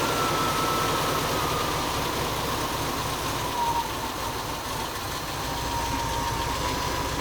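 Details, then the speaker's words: Todd's 1957 Volkswagen Beetle air-cooled flat-four, first run in four years after steering, brake, clutch and new electrical harness work; soft, even putter at idle with no knocks or misses; engine healthy. "- [Todd] It lives. - [Matt] One running Volkswagen. - [Todd] It's been four years."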